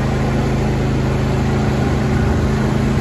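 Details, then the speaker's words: John Deere D130 hydrostatic lawn tractor, 22 hp twin-cylinder, 271 hours, backing up in reverse. Steady, even drone with a low hum and no knocks or surges; the hydrostatic drive sounds smooth and healthy. "Reverse, so smooth and simple."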